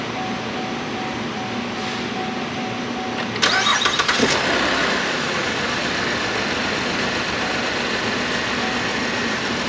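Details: 2012 Chevy Impala, 148,000 miles, codes P0303/P0300, exhaust rattling: engine cranks, fires and idles with a slightly uneven stumbling beat—cylinder 3 misfire; injector test suggests bad number 3 injector.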